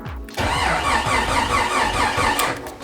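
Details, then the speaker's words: Rebuilt Jeep 4.6L stroker on first start attempt: uneven, labouring starter pulses that never catch; owner suspects a tiring battery or starter, fuel pressure confirmed good, plans to advance distributor rotor one tooth. "battery or starter's getting tired here just gonna make sure I got fuel pressure here"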